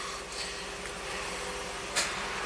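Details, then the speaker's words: 1993 Cadillac Allante Northstar V8 after installing new AC Delco idle air control motor to fix high idle: quiet, even idle at 600 rpm with soft steady hum, no stumbles or hunting, no check engine light; normal idle. "It's a nice healthy V8 sound. No check engine light. Look, 600 RPM, just the way we like it."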